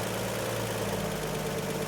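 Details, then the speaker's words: Truck that died at a stoplight, running a cheapest-model carb whose mixture screws were never adjusted, before warm-up: a steady, fast, even hum at about 1,000 rpm. The idle is set so high that it pulls vacuum advance at idle. "The idle's kind of high right now. You hear it? My gauge says it's just about 1,000. I don't know if you'll be able to tell, but it's idling so high"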